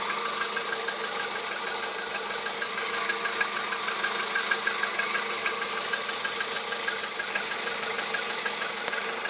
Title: Стук в двигателе 1.6 джетта